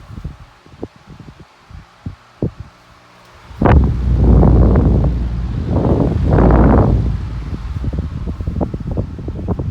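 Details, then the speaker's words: Collector's first trash-find fan, acquired September 2020, running on high with oscillation; light ticks, then loud rushing bursts and thumps as it swings; the guard knocks against the bench behind it; fan striking a nearby object. "Whoops. It was hitting the bench behind it. Still is."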